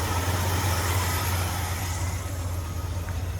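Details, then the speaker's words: 1977 Ford F250 Custom V8 that sat about 10 years, after timing adjustment and removing the choke linkage spring. Deep, even burble with a steady low thump, no stuttering or misses: normal idle. "That seems really good. Cool. Yeah. We got her tuned now, and as y'all can hear, you can hear it's not stuttering and it sounds good."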